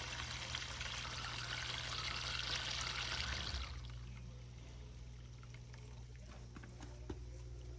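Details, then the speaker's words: GE dishwasher that would not drain, now draining its full tub. A steady low pump hum under splashing water flow, with no grinding or rattles; the drain pump is moving water normally. "But since it's full of water, here we are, we're draining."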